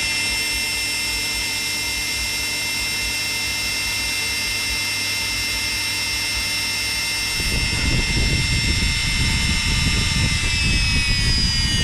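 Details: Electrolux EWF771 7 kg front-load washer in the spin-dry test after a no-wash, no-spin, motor-not-turning fault: high steady motor whine, smooth spin with no bumping or scraping, then a rush as the drum settles. Drum bearings are still quiet.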